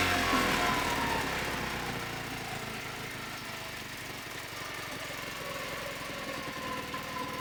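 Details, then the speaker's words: Mercury 5 hp outboard in a water bucket, first run after repair of the bottom housing and lower unit: fast, even buzz settling from higher speed to a steady run, no knocks or misfires; normal running. "I've absolutely soaked my garbage, but I'm all right with that because I'm delighted that it runs."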